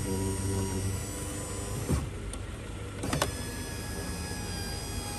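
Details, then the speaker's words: 2011 Kia Sorento with a new window motor, tested with the old door switch (which sticks in the down position): auto-up now works, a steady even motor whir with a clean stop at end of travel, a healthy window motor. "hey the audio up started working that's good"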